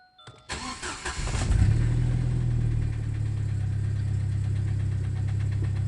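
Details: Jeep Cherokee XJ (facelift) 2.5 L four-cylinder petrol engine cranks, catches and settles to a lumpy idle with a dull, uneven knock three or four times a second. Cause is a broken piston skirt in cylinder 2 slapping.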